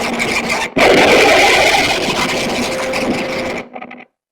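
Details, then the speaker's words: Valve amp, reverb control at halfway: one knock on the chassis triggers a loud, rough crash lasting about three seconds; its volume tracks the reverb control, suggesting a fault upstream of the reverb pot, not yet confirmed. The amp also cuts out intermittently. "you can actually affect the the level the volume level of that noise with the Reverb control which indicates that it's Upstream of the Reverb pot"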